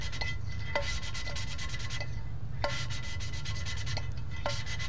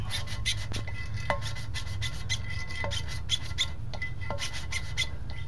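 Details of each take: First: 327 engine rebuild, hand-lapping valves into their original seats with a suction-cup lapper: back-and-forth strokes with soft even hiss and light taps, no gritty rasp left, so the seats have cleaned up. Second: 327 engine build, hand-lapping a valve with a suction-cup lapper and compound: uneven gritty rasping about four strokes a second as the valve turns on its seat; compound still cutting, seat not yet clean.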